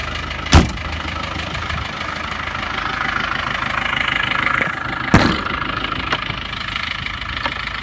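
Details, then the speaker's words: 1986 Land Rover 110 with 200Tdi diesel, cold start after sitting overnight, glow plug light not working (circuit needs a new part); an odd clunk or two then steady, even low diesel clatter at idle, no knocks or misfires; starts cleanly. "So it's a cold start. Let's start it up."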